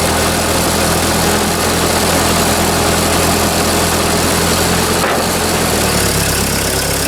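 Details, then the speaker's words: Ford 2N tractor running under load off-road after revival, governor working: loud rough engine with busy rattling clatter over low thrum; something sounds loose, cause unknown. "i don't know why it's rattling like that it just doesn't sound right i'll look that up later"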